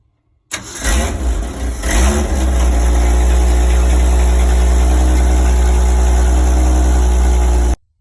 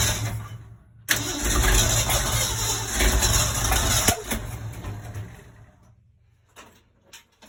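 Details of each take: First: 1965 Ford Econoline 100 pickup, sat for years, cold day, after fixing swapped number 1 and 2 plug wires on the cap: cranks briefly, catches and settles into a steady, even smooth idle with no misses or knocks. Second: 1965 Ford Econoline 100 pickup, long-sitting and previously tinkered with: cranks, then stumbles and sputters unevenly about three seconds before dying; rough running from wrong firing order, number 1 and 2 plug wires swapped on the cap.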